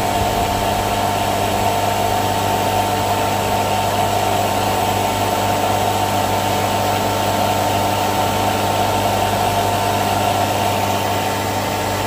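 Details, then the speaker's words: NAVAC NR7 refrigerant recovery machine running on fast while recovering from a leaking system: steady, even compressor hum with a constant mid tone and low drone, no knocks or rattles; normal running. "I'm going to bring the dial back to slow just so we can hear the difference in it running"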